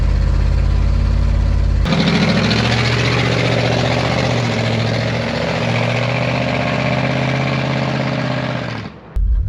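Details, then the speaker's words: 1974 Dodge W100 Power Wagon V8 after 41 years parked: catches and settles into a smooth, even idle with a deep regular beat, then shuts off. Big exhaust leak before the muffler; no blow-by, runs too well for a burnt valve. "it's actually really smooth now big exhaust leak right here before the muffler sounds pretty good it's running too good to have a burnt valve itd be popping back"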